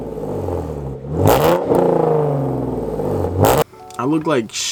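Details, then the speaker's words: Hyundai Genesis with newly installed headers and H-pipe, untuned: quick blips that climb smoothly; rasp much reduced at 3,000–4,000 rpm but still audible with a raspy edge near the redline. "because three to four thousand rpm revs you can really really hear the difference like it's not as raspy anymore but if you rev it all the way to the red line you can still hear the rasp but not as much"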